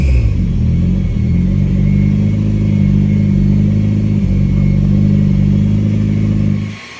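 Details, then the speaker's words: 1987 Yugo GV carbureted engine, first start after 15 years sitting, new fuel pump: steady low drone with even firing, smooth idle before shutoff; runs fine on its own, small oil leak at fuel pump. "so we've got ourselves a running car it runs by itself it starts now"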